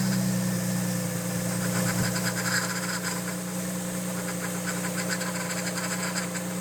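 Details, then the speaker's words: Audi B5 S4 at idle just after swapping a whining aftermarket power steering pump for a known good OEM unit, system not fully bled: faint steady whine remains above idle, expected to fade as air bleeds out; power steering pump whine. "okay well still making a little bit of noise but we might have to just give it some time to uh bleed out"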